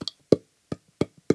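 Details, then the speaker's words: Commodore 64 Revision B (250469) board on full diagnostics with the test harness: the SID chip tests bad and gives only sharp, isolated clicks at uneven intervals instead of any tone; a faulty SID sound chip. "Our SID chip does show as bad. Yeah, and it only clicks."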